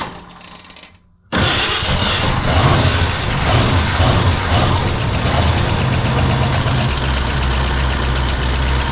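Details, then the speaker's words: 1968 Ford Mustang parked about 20 years, first start: cranks briefly, fires and settles into a steady, even idle with regular low pulse and light valvetrain ticking; runs well. "dig it guys it's freaking idling wow man that's awesome I haven't heard my car running 20 years she sounds good too"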